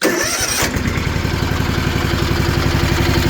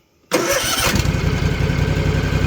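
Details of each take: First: Rebuilt Kawasaki FR730V twin on a Cub Cadet mower, lost power after getting wet: fires up into a lumpy, uneven idle with a skipping beat, won't rev toward its 3,600 rpm; one cylinder not firing. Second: Rebuilt Kawasaki FR730V V-twin mower, 26.5 hours since rebuild, after replacing ignition coil that caused power loss and shaking: brief crank then steady even low thump, 1,200 rpm idle, snappy throttle; normal idle.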